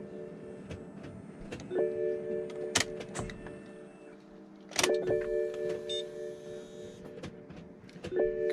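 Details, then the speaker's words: BMW E60 M5 S85 V10 after fuel injector replacement: three short, steady humming whirs a few seconds apart as the key is cycled, pump under the rear seat; normal fuel pump priming before leak check. "hear that fuel pump running momentarily in the back there under the back seat maybe a couple more times for good luck eh"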